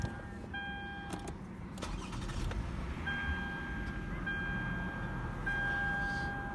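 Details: 2010 Lexus ES350, about 154,000 miles, recently new brakes and alignment: short crank, quick catch and a smooth, settling idle with no knocks or grinding; a clean, healthy start-up.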